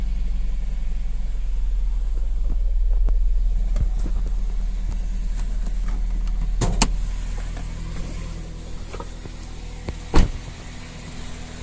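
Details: 2000 Toyota Celica GT petrol engine at idle from start-up: faint light ticking over the low hum, heard up to about 3500 rpm; the cause was a partially ripped serpentine belt.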